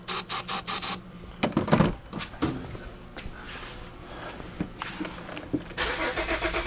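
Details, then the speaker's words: 2009 Buick Enclave, towed in, rodent-damaged wiring, no communication to fuel pump control module: starter spins briskly in short bursts but no catch even with starting fluid behind the mass airflow sensor; crank, no start, fuel related. "that should have should have started at least attempted to"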